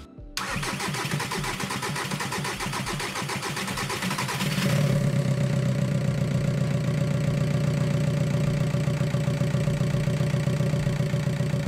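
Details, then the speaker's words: VW TDI PD diesel, first start after cylinder head reinstalled: cranks, fires, then idles lumpy and jerky; diagnostics show injector correction on cylinder 2 at +2.99, a faulty injector misfiring. "Neviem, či veľmi počujete ten rozdiel, ale ten motor mal nepravidelný chod, trhavý, a teda pozrel som sa na diagnostiku, ktorú som mal v aute."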